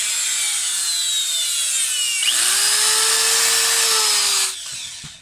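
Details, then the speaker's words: Electric planer with belt removed, owner already replaced carbon brushes yet armature still sparked: motor spins up with high whine and faint crackle, then winds down; commutator sparking reduced, carbon brushes worn/not smooth, needs maintenance. "kung napapansin niyo ay humina na yung spark nung tinanggal natin yung belt niya ibig sabihin kailangan lang ng maintenance ang electric planer na to"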